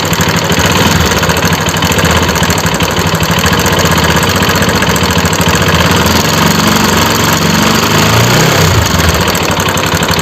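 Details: RS 200 single-cylinder idling with a busy, clattery mechanical noise over the exhaust beat; abnormal engine noise.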